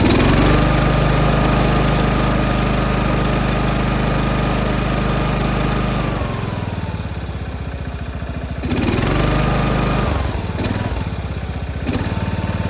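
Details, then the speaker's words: John Deere 165 Hydro lawn tractor after a new ignition coil set at 0.012 in air gap, with an Amazon igniter chip fitted: small single-cylinder engine catches and runs steady at a fast even beat, dips and recovers briefly; healthy running. "And that was just running with one of the Amazon Ignitor chip deals on it too."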